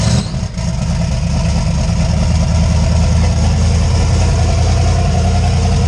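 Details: Deep, even rumble with a steady beat and no knocks, misses or rattles over six seconds from a 358W 80mm-turbo Fox Body V8 just started after the injector ground was wired; it idles smoothly.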